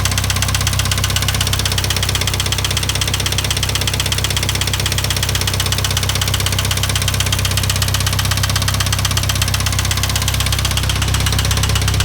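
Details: IH 2544 tractor at idle: an even idle with a sharp, regular knock nearly three times a second, in time with the engine; the source of the knock is still not found.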